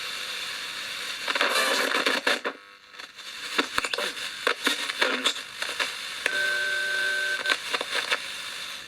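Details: Hiss and choppy bursts of FM station audio come and go as it tunes, with clear steady tones; portable transistor multiband radio (no medium wave, has squelch) receives and plays properly, just needs its pot cleaned.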